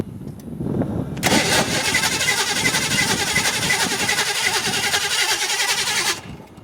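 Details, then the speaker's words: 1986 Ford Mustang GT 5.0 convertible, cranking steadily about four turns a second for five seconds without firing; crank no start, owner suspects a bad fuel pump (new pump sitting in trunk), unconfirmed. "Well, we're getting somewhere now. I think that fuel pump's probably bad, but we're gonna, I don't know, we'll smack the gas tank with a hammer."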